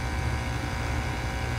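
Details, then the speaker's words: Heat pump outdoor condenser, after repair of a no-heat fault where only the fan ran and the compressor didn't hum; with the thermostat raised, a steady low compressor hum with even fan rush runs normally. "the fans already on and yes the compressor is running I don't know if you could hear that last time we weren't getting a hum at all you can hear the fan running but the compressor was not humming"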